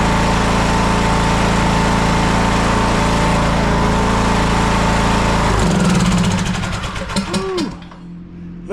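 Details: TroyBilt lawn tractor, long-sitting, warming before oil drain: steady, even single-cylinder chug at constant speed with no hunting or surging, then shut off winding down; normal running.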